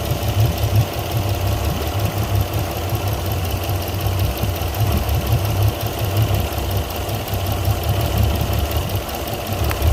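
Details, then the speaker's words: Port Yamaha outboard on a 385 Pursuit: rough, lumpy, shaking idle while coils are pulled; the bottom cylinder, number five, is found dead, and its spark plug and coil are to be removed and inspected. "bottom cylinder on the port side not doing anything"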